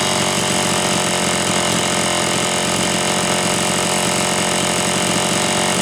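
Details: Homelite Super XL chainsaw (brought in for boiling fuel and overheating) on test run after starter spring fix and replacing a bad new spark plug; dense steady full-throttle scream, no bogging or surging; high side set slightly rich on purpose to warm it up; running healthy.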